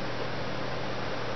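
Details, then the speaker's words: Koosh Vortex Tornado blaster modded with a Lazer Tag Master Blaster air tank, trigger lightly touched: steady, unbroken hiss with no pulsing; air leak. "And you can actually hear the air leaking out already. So, let's go. You can hear very clearly."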